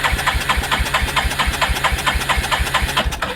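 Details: 1987 Yamaha Moto 4 350 (YFM350ER) with no spark despite new stator, CDI, coil and starter relay, cranking with jumper wires acting as ignition switch; even turning at about two beats a second without catching. Normal cranking.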